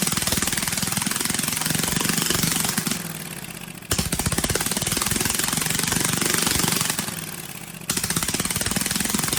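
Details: Briggs & Stratton 18 HP Vanguard, choke hand-held because it vibrates shut: harsh, very loud chattering exhaust rising and falling with throttle blips, sounding like a loose baffle rattling inside the muffler.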